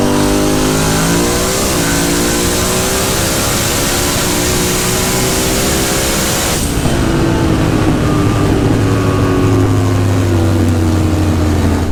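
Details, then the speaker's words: Built 427 (re-sleeved 4-bolt 5.3) drag car on a 7.27-second pass at 191 mph. A hard pull with rising pitch sounds uneven and choppy at the top end, then it lifts off early; cause unknown, logs to be checked. "seven twenty seven twenty three at one ninety one so i sound a little choppy i don't know what's going on we'll go check the logs and see what's up"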